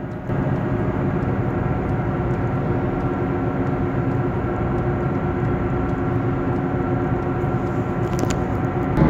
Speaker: it goes from humming to a sort of growling which intensifies as you drive faster and there's more load on the bearing